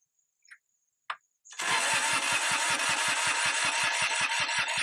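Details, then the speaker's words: Kubota G5200 HST diesel mower, sitting for years: even cranking about two and a half beats per second that never catches, with no click from the rear fuel pump, so no fuel is being delivered. "Oh, well. I don't hear this fuel pump. Supposed to be a click clack fuel pump here in the back."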